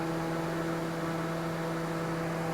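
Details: 8th-generation Honda Civic cooling fans with the condenser fan removed, so only the radiator fan runs: steady, even hum with a constant low tone and no speed change; a single cooling fan running normally.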